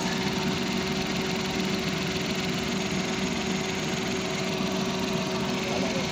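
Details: 2020 Suzuki DA63T engine idling after repair of a severe engine vibration complaint. Even, steady idle with no stumble or shudder; now running smoothly.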